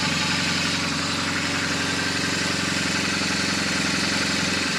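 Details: BMW R1200GS Hexhead boxer at a 100,000 km service, after checking rocker arm end play and spark plug gaps, warming up; steady, even idle with a smooth, regular beat and no knocks or ticks; healthy.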